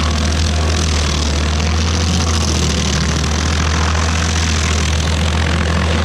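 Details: Stump grinder with freshly rebuilt motor (piston cleaned), first job on a willow stump: steady, deep drone holds speed under load as the cutter chews wood; smooth and strong, no misses. Oil on the heat shield burnt off.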